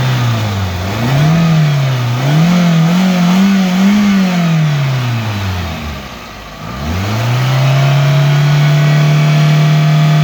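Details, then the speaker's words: Japanese contract 2004 Toyota Vitz SCP10 1SZ-FE engine, automatic, 2WD, tested at idle and mid revs: smooth even idle climbing and falling cleanly through mid revs, no misfire, knock or tick; no smoke, healthy. "Двигатель работает ровно. Газ не идут. И не димит."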